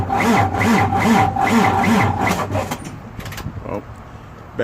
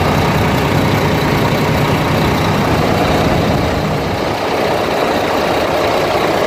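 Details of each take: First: International diesel truck after compound turbo change and exhaust pipe fix, sitting a few days: labored, dragging crank at about two and a half turns per second before catching; starter slowed by low battery. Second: International diesel truck after compound turbo change and exhaust pipe fix: steady idle with even rumble and rattle and no hiss of escaping exhaust; running smooth with no leaks.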